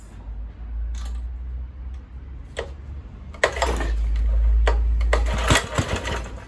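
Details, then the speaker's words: Kohler K101 single-cylinder engine on an Atco mower, after cleaning the Walbro carburettor and clearing a fuel-line airlock: it coughs, catches on choke, and settles into a fast, fairly even chug with a few stumbles; it starts and runs. "It's firing."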